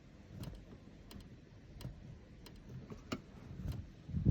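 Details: Ferrari 458 Spider, interior: light irregular clicks and ticks roughly every two-thirds of a second over a quiet cabin; loose rattle from the folding convertible roof, cause unknown.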